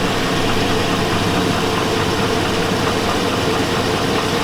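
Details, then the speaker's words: 2002 Chevy Avalanche 5.3L V8, 217,000 miles. A warm idle carries a steady dull knock following the idle. The owner thinks it's rod knock but later doubts it, and smells oil burning. The cause is unconfirmed. "sounds like rod nock to me I think it does rod neck sounds like it she's burning oil I could smell it"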